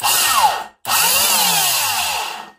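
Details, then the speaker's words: 1990s Dirt Devil Model 103 hand vac on first power-up: harsh, rough high-pitched grinding as the motor spins up twice, sweeping tones over scraping; seized motor bearings or fan suspected. "that sounds terrible that's either the motor bearings or a fan something's all seized up so that sounds that sounds awful"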